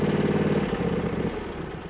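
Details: John Deere Z375R zero-turn mower with 54-in deck, V-twin engine idling with PTO off and brake on: even, regular putter with steady firing pulses easing slightly lower; normal, healthy idle.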